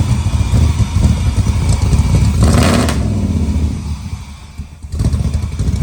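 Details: LS3-swapped 1972 Impala convertible after its misfiring cylinders were fixed and codes cleared: a deep, lumpy V8 idle climbing with each throttle blip, firing evenly with no stumble or miss. Normal idle and revving.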